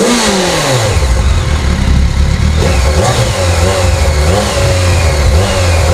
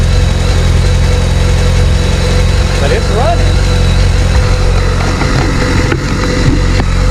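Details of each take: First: Abandoned 2007 BMW K1200GT, fuel-injected inline four: repeated revs, pitch climbing and dropping cleanly with throttle, smooth with no rattles, engine sounds healthy, though it dies in gear; owner suspects a battery issue. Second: Abandoned 2007 BMW K1200GT, fuel-injected inline four with 68,565 miles: even, deep idle with a steady low throb, then it dies as soon as it is put in gear; cause unconfirmed.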